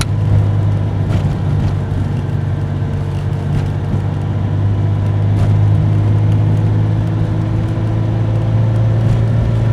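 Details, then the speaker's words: 1996 Dodge Dakota 3.9L V6 after new fan clutch installed, driving at 32°F outside: steady low engine drone with no fan roar; fan clutch slipping normally instead of locked up. "As you can hear, it's not noisy anymore. It's slipping like it should."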